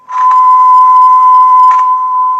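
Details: Roadside-found old wooden Stern Recorder tape radio after replacing a killed transistor, potentiometer set to about half: clean steady tone, level pitch, no wavering or dropouts; normal tape playback.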